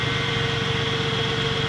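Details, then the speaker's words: 1996 Ford F-150, 130,000 miles, after replacing spark plugs (#5 had a loose spinning electrode causing a miss and valve-tap noise): smooth even idle hum, no ticking or stumble; running on all six cylinders. "but as you can hear she's going pretty good right now know for something that's got 130 000 miles on there"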